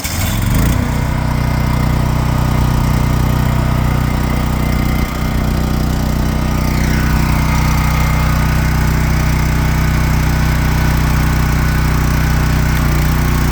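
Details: Champion Dual Fuel portable generator on non-ethanol gasoline, weekly run: catches within a second and settles into a steady, even drone with a smooth low hum; running healthily.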